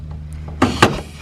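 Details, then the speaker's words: Ford Galaxie with fuel problems first blamed on the fuel pump, vapor lock or a clogged filter: two short sharp hisses of air rushing in as the gas cap comes off; the tank was under vacuum because the cap's vent is blocked. "you guys hear that suction that came out and look at the bottom of this thing so these which as i shake this back and forth it's supposed to have a little vent thing inside of it"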